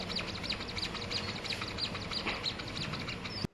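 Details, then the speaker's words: Ferrari 488 front shock absorber, removed and stroked by hand: sharp chirping squeaks about three a second, heard over bumps and worse in winter, from oil seal rubbing the shaft; fixed by replacing the seals. "其实这个减震器的异响啊，归根结底还是这个油封啊和那个轴心摩擦产生的异响。只要把这两个油封把它换掉，就可以解决这个异响的问题。"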